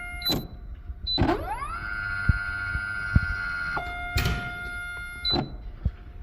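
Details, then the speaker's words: 2018 Kegel FLEX oil pump motor, after a board swap: the whine sweeps up, its pitch wavers up and down, then it cuts out abruptly without any real pressure applied; a suspected faulty motor likely needing replacement. "I think something in the motor is bad. Can you hear the the pitch kind of shift up and down?"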